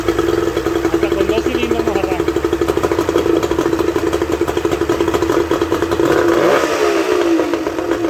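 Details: Suzuki 30 HP two-stroke outboard after freeing stuck piston rings and powerhead reassembly: revs up and settles into steady even buzzing run, no knocking or misfire; normal running.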